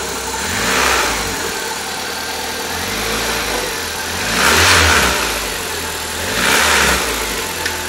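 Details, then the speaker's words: 1.3L four-cylinder from a 1999 Suzuki Swift (113,000 miles), new gaskets, timing belt and water pump, hovercraft conversion, belt drive disengaged: three clean rev blips with intake hiss on each, no knocks or misses; healthy revving. "you can hear a little bit of suction of the intake here not sure it come through on video camera but it uh looks pretty good sounds good"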